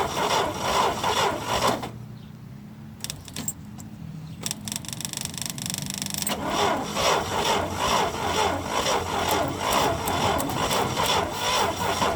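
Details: International Harvester Scout 80 barn find (1961/1964) that sat nearly 20 years, gasoline fed by electric fuel pump from a cup. Slow, laboured starter churning pauses and resumes without catching, the battery sounding tired: crank-no-start.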